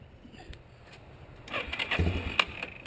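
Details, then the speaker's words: 1987 Yamaha Warrior 350 ATV with intermittent electric start fault: about a second and a half of uneven starter cranking bursts as the engine turns over; other times only the starter solenoid clicks; starter replaced. "there it worked there it's acting up all right so you've seen it turned over the first time and a lot of times it will turn over multiple times work fine but here we hit the starter button and you can just hear the click the clicking is that starter solenoid"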